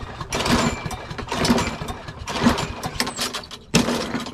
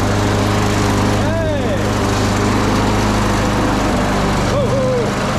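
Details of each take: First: Craftsman push mower with Briggs & Stratton 650 series engine, before carburetor replacement: four rope pulls about a second apart, each a brief churn with no firing; no-start from carburetor fuel fault. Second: Craftsman push mower after replacing the carburetor with a new Briggs & Stratton 650 series unit, primed and pull-started outside: loud, steady drone at constant pitch without surging or dying; running normally.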